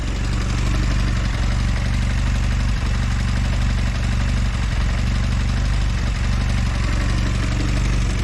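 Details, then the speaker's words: Velocette LE motorcycle after clutch and points tweak: low, steady idle beat with no miss or tick it used to have, running smoother. Normal idle. "It sounds like it's running smoother at idle as well. It always used to have a little bit of a miss or a tick to it sometimes. So that seems a lot happier."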